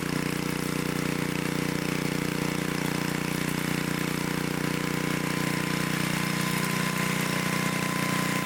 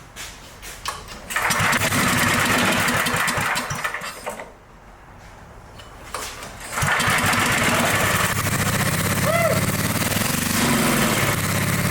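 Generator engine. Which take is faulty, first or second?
second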